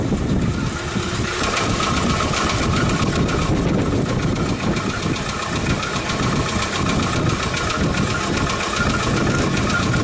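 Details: 2006 Hyundai Tucson with power loss and P0507 code, from another shop after parts replaced: uneven, lumpy idle with irregular low stumbles; rough idle from lean condition, failing fuel pump suspected, fuel pressure gauge being fitted.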